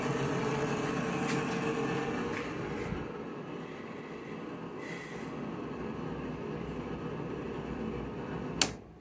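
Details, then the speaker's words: Newly installed domestic hot water recirculation loop pump at first start-up after opening valves: rough rushing whirr with steady midrange drone easing over time; very noisy, owner suspects air inside, later bled and quieter. "Alors lui il tourne, il fait du bruit mais il y a peut-être de l'air dedans. Il fait vachement de bruit là."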